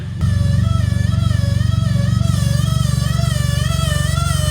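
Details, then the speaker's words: Chevy Sonic Turbo stunt car idling just after first start in eight years of sitting, lumpy idle with a steady high buzz like an electric toothbrush; the fuel pump makes an abnormal internal whine. "i'm so excited and happy if you can't tell that we got it started only downside is now the fuel pump's making this super weird sound"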